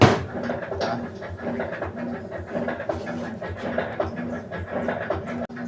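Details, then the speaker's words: Brastemp BWK 16 washer during agitation: a rhythmic thumping and rattle on each stroke, caused by a faulty agitation mechanism (transmission), with the cam already replaced and not the cause. "galera o que tá acontecendo com essa lavadora é problema no mecanismo"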